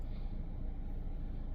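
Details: 2013 Mazda CX-5 idling after a no-start was traced to blown fuse #22 (C/U IG1, 15 A); it now starts right up. Low, steady, smooth idle rumble with no knocks or misses. Normal idle.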